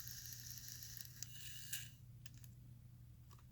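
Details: Sony D-15 Discman after lubrication: faint quick whir with a few light clicks as the sled pulls back in smoothly, no binding or grinding.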